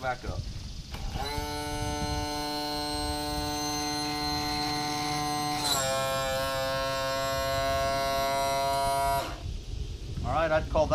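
Smooth steady electric motor whine that shifts pitch once as it reverses direction, even and unlabored both ways; trim pump sounds healthy.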